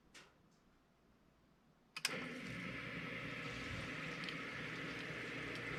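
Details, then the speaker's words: Replacement 1/3 hp sump pump with Quiet Valve check valve, replacing ~20-year-old pump with worn, screeching bearings: sharp switch-on click then soft, even hum, no whirring or screeching; running quietly. "the uh when that sump pump runs we don't even know it anymore we don't hear it so it this turned out to be real a really good change"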